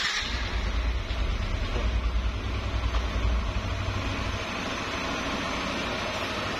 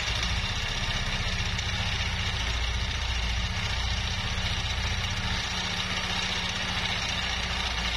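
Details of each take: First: Yamaha Nmax scooter after repair for a loud rumbling noise, with the badly worn camshaft bearing replaced (CVT and head parts checked): steady, even low idle hum with no knock or rattle, sounds healthy. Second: Yamaha NMAX scooter with grumbling, noisy engine: steady running with dull, uneven low rumble under idle; rattling traced to very loose, worn camshaft bearing in the head, to be replaced; CVT also contributes grumble.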